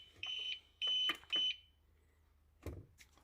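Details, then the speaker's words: Used APC Back-UPS 500 converted to 12-220 V inverter with external battery, about three hours into a power outage and already restarted once: three sharp high beeps about half a second apart then clunks, alarm while on battery; cause suspected, not confirmed. "ось якраз той самий звук про який я говорив пройшов певний час вже в нас здається 3три години немає світла"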